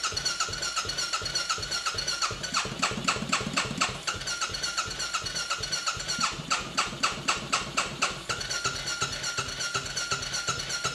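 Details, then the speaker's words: Royal Enfield motorcycle, former non-runner, first run after fuel system emptied and primed a few times: fast uneven popping with surging loudness, running rough, expected bit of fuel starvation. "it's going to have a bit of fuel starvation"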